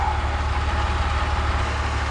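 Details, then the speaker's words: BMW E46 (330i/325i) after ZF 5HP19 automatic transmission rebuild and reconditioned torque converter, wheels in air, filling fluid to level: smooth, even low idle, no knocks, ticks or whine. Normal idle. "Well, everything sounds good. Sounds great, actually."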